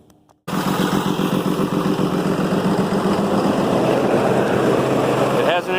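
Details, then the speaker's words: 6.7 Cummins after freeing a valve bridge that was jammed on the intake valves: the noise is gone, but it runs with an uneven, stumbling beat with a cylinder dropping out now and then. Misfire. "missed but the noise is gone it it off well it oils very well"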